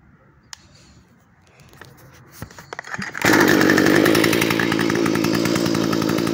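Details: Stihl FS45 two-stroke trimmer that wouldn't start, fixed by removing a screen; after a few pulls it catches and settles into a steady, even high buzz, running normally.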